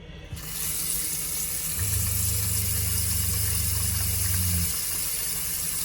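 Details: Shurflo RV water pump running on its own while a faucet runs below full flow: pump hums steadily about three seconds then cuts off, a short even on-cycle of normal pump cycling.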